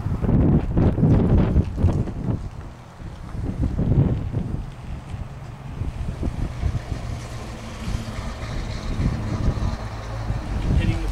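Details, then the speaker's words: Bicycle disc brakes after Squeal Out paste was applied to the rotor: ridden and braked in strong wind with no squeal, though braking power is reduced until cleaned off. "now that pretty much is all it takes to make that squeal go away I'm going to ride the bike and demonstrate the squeal is gone"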